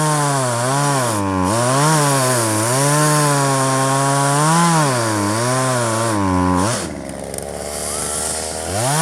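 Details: 1997 Poulan 2150 chainsaw, 23 years old, owner guesses 2.1 displacement; warm, just run; dull chain cutting box elder tops. Revs rise and dip with each cut, then settle to a clean idle; pulls steadily; normal cutting.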